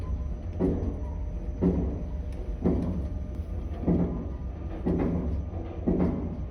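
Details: Elevator car makes heavy knocks about once a second, each with a brief rattle, over a steady low hum while travelling; abnormal elevator knocking noise.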